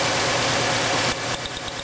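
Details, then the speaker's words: 1999 Honda Accord 2.3L auction car with bad misfire, during cylinder drop test after swapping number 1 and 2 parts: uneven idle with a regular dropped beat, still a single-cylinder miss on number 2, not two-cylinder. "Okay, still sounds like a single cylinder miss, so that's a good sign. I don't think it's rough enough to be a 2-cylinder miss now."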